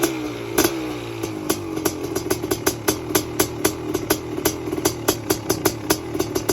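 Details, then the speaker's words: Freshly race-rebuilt 500cc two-stroke CR500 engine in street-legal KTM chassis, stone cold, choke pulled, kick-started without compression release: catches on the kick, then crisp, even popping about three to four beats a second with sharp blips; healthy cold start. "you want to see me start this thing and you want to you want to see me do it relatively easily on a stone cold engine"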